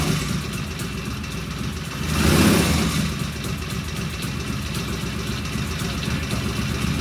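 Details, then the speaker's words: Vintage British motorcycle "Fred", a previous runner, idling at first start after repairs with the primary cover open and an oil pressure gauge fitted: even, steady idle with a brief rev blip that settles straight back, smooth and healthy. "I tell you what, that sounds good."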